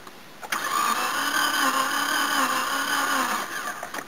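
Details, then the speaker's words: Manual car awaiting a replacement engine, battery nearly dead: starter spins the engine quickly and evenly with no laboured compression beat, light whirr of an engine with little compression; low compression cranking. "this is the car that needs the new engine it's a manual but uh you can hear it's not the happiest when you try and crank"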